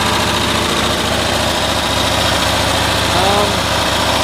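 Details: 1972 Cushman Truckster with the air filter off and spark testers in line on a cool day (about 8°C); loud, rough, stumbling running, still misfiring around 3000 rpm after new coils, though the spark looks more consistent. Cause unknown.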